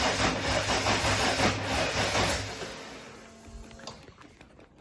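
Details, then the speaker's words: RB30 turbo in a VN Commodore after DIY wiring, engine stored upside down and possibly oil-starved, no oil pressure yet: starter churns about three beats a second with ragged near-firing puffs on starting fluid, then dies; cranks but won't run. "So as you've seen just there, I fired it on Start Your Bastard, and it fired. But yeah, I can't get it to go any further than that basically."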